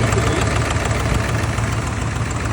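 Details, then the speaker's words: Ford F250 7.3L Power Stroke diesel with EGR delete, brought in with misfire and low power, idling with a deep, uneven, stumbling clatter; runs rough, no hard-start sign. "it runs like crap and it has noell sign of a hard starting situation"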